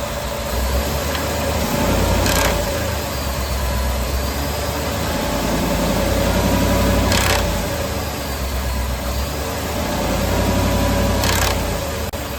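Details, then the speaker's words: 2018 Ford F-150 5.0 Coyote, replacement engine under 10k miles after two cam phaser replacements; in gear, foot on brake, load applied on and off, sharp top-end knock felt at valve cover, suspected cam phaser. "The second noise I was able to make happen repeatedly by loading the engine on and off while the truck is in gear and foot is on brake."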